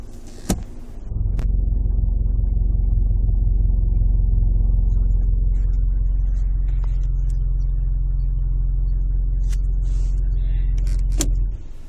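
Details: Car makes a deep rough grinding rumble with a steady pulse about four times a second from underneath when in D or R.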